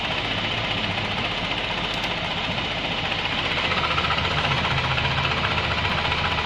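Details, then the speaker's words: Suzuki Burgman 650 variator with sheaves brought together: steady engine hum and even belt whir, no clicking; whistle gone and secondary shaft turning normally. "Даже на разведенных щеках вторичный вал вращается у нас. Так, сводим щечки. Звук пропал. Вал вращается."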